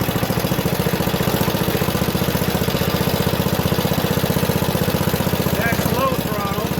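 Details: Junkyard Ditch Witch C99 trencher, old, year unknown, small single-cylinder engine: quick, regular chug near four beats a second, steady with no misfires; running halfway decently, though the self-propelled drive doesn't work.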